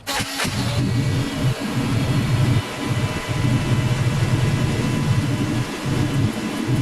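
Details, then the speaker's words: LS-swapped Chevy Colorado: a low, uneven idle that sags and recovers every second or so with no clear hiss. Owner suspects a vacuum leak where the throttle body meets the intake manifold, since spraying there stalled the engine; not confirmed. "we could have a vacuum leak between the throttle body and the intake manifold between the iak and the intake manifold between the TPS and the throttle box"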